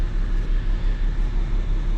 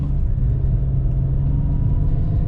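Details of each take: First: 2004 BMW 325xi automatic, 17 years old, engine previously replaced; check engine light on, low uneven idle that lopes and stumbles with shaking; scan shows misfire cylinders six and two from failing ignition coils. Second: 2004 BMW 325xi inline six, replacement engine of about 100,000 miles, after misfire repair: deep, smooth, even drone pulling steadily under throttle with no stumble; normal acceleration.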